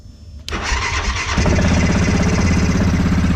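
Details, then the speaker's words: 2013 Grizzly 700 ATV starting right after an oil and filter change. It has had an unknown gremlin making it reluctant to start. Brief crank, then the single catches at once and settles into a steady, even thumping idle; a normal start. "started. It's had a gremlin, like it hasn't wanted to start."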